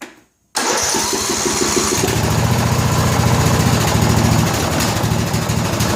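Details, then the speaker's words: 2000 Scotts lawn tractor (John Deere-built) with a Briggs & Stratton Intek 17 HP OHV single, just serviced after sitting, on a 5-year-old battery. Cranks, catches and runs unevenly, popping through exhaust and intake; suspected overly tight valves not closing. "you can hear it popping through the exhaust and and the intake so I'm pretty sure what we were dealing with here is really tight valves"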